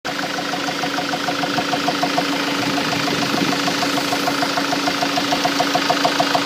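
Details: Mk7 Ford Transit: steady idle with a sharp, regular knock about three times a second over a low hum, an engine knock at idle.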